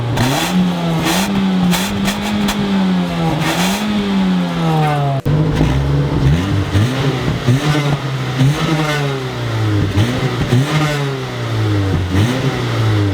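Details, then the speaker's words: Mazda 3, stationary free revs for before/after intake resonator delete sound clips: rising and falling revs with raspy, rough exhaust edge; owner suspects an exhaust leak somewhere, not confirmed. "Don't mind that noise in the exhaust. There's definitely an exhaust leak somewhere. Pretty rough, but I definitely think it's an exhaust leak."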